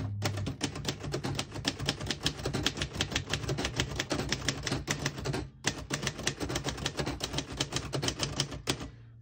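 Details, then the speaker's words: 1948 Royal Arrow portable typewriter typing. Quick, crisp, evenly spaced key strikes with a short pause mid-line. No sticking or skipping keys; working normally. "As you can see, all the keys type nice and none of them skip or stick."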